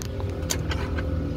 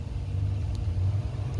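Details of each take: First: LG French-door refrigerator (591 L) freezer fan motor: steady low droning hum with faint tonal lines and brief ticks from the failing, noisy fan motor, which is replaced to fix it. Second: LG French-door refrigerator freezer after the noisy fan motor was replaced: only a low, steady hum with no rattle, ticking or scraping; normal freezer fan running.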